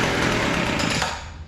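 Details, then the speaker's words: Weedeater two-stroke hedge trimmer after refitting the original carburetor metering lever: fires and runs briefly, then stalls because idle is set too low. "that sounded better already the idle is set too low so we'll turn that up a little bit still doesn't seem to want to idle"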